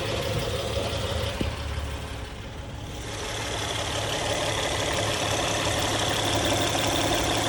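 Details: Engine idling after hydraulic tensioner replacement: steady, even idle with smooth low hum, no ticking or rattling; earlier noise gone, sounds healthy.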